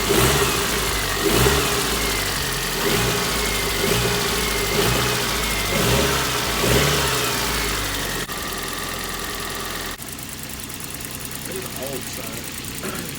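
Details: Car's first start after owner's cambelt and water pump replacement: a few quick blips, then a steady even idle with no ticking, squeal or knock; runs fine.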